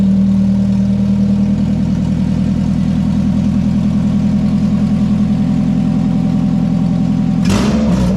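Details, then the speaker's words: Honda Accord Type R, idling after the alternator belt was re-tensioned: a smooth, even idle with a steady firing beat and no belt squeal or chirp. Normal idle. "That sounds wicked. >> That does sound good. >> That sounds wicked."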